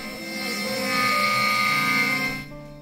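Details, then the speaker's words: Modified 6040 CNC kit router (G540 controller) cutting a wooden duck: loud piercing ringing screech, bit chatter from too long tool stick-out and clamps not mounted parallel to the surface. "noise you just heard, that was chatter."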